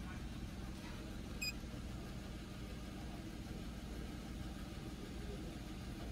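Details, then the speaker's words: 2011 Chevy Equinox at idle, EGR valve commanded to 5% open with a scan tool: quiet, smooth petrol idle, a low steady hum with no misses or surging and one small click early on. Nothing changed; normal idle. "so five percent nothing really happened"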